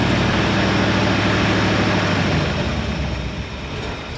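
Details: 1968 Suburban V8 idling after thermostat housing replacement and coolant refill, warming up; steady low idle, even beat of about four pulses a second, easing slightly quieter. Healthy and settled.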